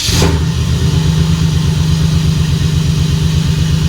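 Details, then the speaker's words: 1996 Impala SS with a stock LT1 V8, headers, exhaust and a TorqHead conversion, after tuning and coil replacement. A fresh morning start: brief crank, immediate catch, and a steady even low idle with no misfire. Normal cold start and idle. "yep restarts okay and that's it"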